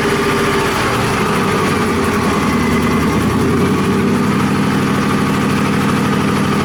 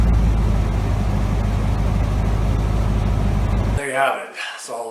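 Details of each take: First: Cobra project with Holley setup on first engine start: idle sags and hunts before settling shakily, not idling properly; idle air control setup at fault, resolved after working through conflicting documentation. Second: Cobra engine after fixing first-start idle control issues: even low rumbling idle, steady beat, no stumbles or surging, then shuts off cleanly; normal idle.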